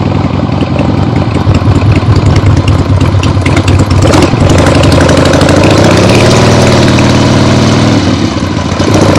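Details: Freshly rebuilt 1975 Harley-Davidson XLH Ironhead Sportster V-twin on short test ride around the block; loud open pipes, pulls and revs cleanly, no knocks or misses; a few carb farts, likely adjusted out once warm; transmission and brakes good; normal running.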